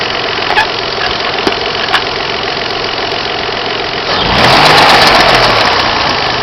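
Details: Opel X25XEI V6 idling: a few sharp, irregular ticks over the hum, then a brief rev; strange engine noise, source not identified.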